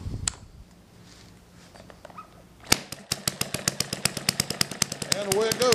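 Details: Small hit-and-miss model engine, 3 V to the ignition, needle valve about a quarter turn open, on correctly mixed fuel: after a quiet spell, sharp firing pops begin at about three per second, slightly uneven; the engine is running normally.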